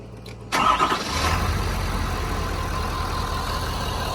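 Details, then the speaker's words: 2018 Ford F250 with 6.7 L Power Stroke diesel, just refilled with oil after oil and filter change: quick crank catches at once into a steady quiet idle with even low rumble; normal diesel start and idle. "It's amazing how quiet these 6.7s are compared to my 7.3 and my 6 liter."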